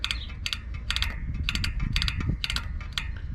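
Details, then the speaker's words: Giant Crest 34 fork on a month-old Giant Fathom 2 27.5, about 80 psi, rebound turned from slowest to fastest: sharp metallic click clusters on compression and rebound persist. The dealer says Giant recognizes a damper problem with these forks. "that's all the way back out still there so my giant dealer told me is there is a problem with these forks the giant recognizes"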